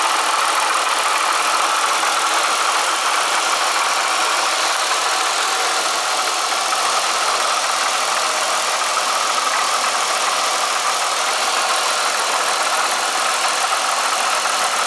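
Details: Eaton M90 supercharger at steady idle: a fast, dense metallic rattle, constant throughout; owner suspects the coupler or a bad rotor pack, plans an oil change before a follow-up recording.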